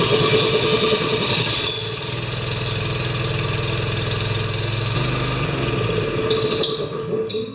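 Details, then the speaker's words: Honda-powered wheelbarrow air compressor, engine moved forward to tension a loose, flopping belt, started on choke and maybe low on gas. A single-cylinder putter settles into a steady, even beat at moderate speed with no misses or knocks: running like a champ. "Okay, she runs like a champ."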